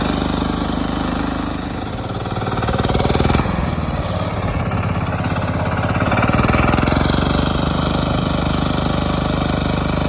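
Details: Lifan C192F single-cylinder engine on a mini tractor built from a LuAZ, after a key (шпонка) repair: even thumping at idle, a quick blip of revs and back down, firing steady; normal running.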